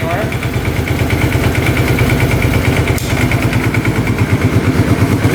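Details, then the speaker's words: 2005 Kawasaki Prairie 700 twin ATV, airbox off: steady, even low thump at idle with no misses or knocks. Normal healthy idle; the breather blows air but no oil. "Well, she fired right up. Sounds pretty good. Burning off some old oil on the pipe, it looks like."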